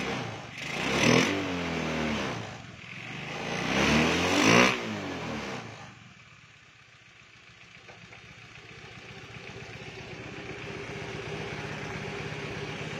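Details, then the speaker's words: Honda Beat with a stock engine and PE24 carburetor, which gave black smoke at high rpm. Two rough, blubbery revs that are slow to clear, then a soft uneven idle. Rich mixture, jetting too big; main and pilot jets to be replaced. "Nah jadi bisa dilihat ya bisa didengarkan juga untuk suara keborosan Biasanya seperti ini suaranya ya nah jadi agak seperti itu ya"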